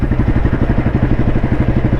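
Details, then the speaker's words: 1993 Royal Enfield Bullet 350 with crank weight, in top gear, accelerating gradually from about 25 to 40 km/h: even, rapid single-cylinder thumping pulls smoothly with no lag, knock or ping under load; normal acceleration. "വണ്ടി യാതൊരു ലാഗും ഇല്ല യാതൊരു ഇടിപ്പ് engine യാതൊരു ഇടിപ്പും ഇല്ലാതെ വണ്ടി speed എടുക്കുന്ന കണ്ടു എന്ന് വിചാരിക്കുന്നു"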